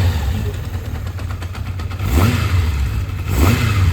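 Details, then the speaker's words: Kawasaki Zephyr 750 four-cylinder, cold, after carb rebuild and replacement coil pack, air box off: even idle with two clean throttle blips, smoking heavily; back on all four cylinders, sounds crisp and healthy. "Does that sound like 4 cylinders? It does, doesn't it? She's a runner. She's smoking like crazy. Sounds chipper."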